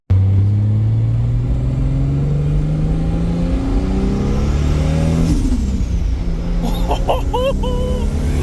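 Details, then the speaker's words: Toyota Supra MK4 at idle, surging with pitch drifting up and down: the tune was adjusted without raising fuel pressure, so it hunts rich-lean. "I adjusted the tune a little bit without remembering that I needed to raise the fuel pressure so now it's idle surging because it's going Rich lean Rich lean"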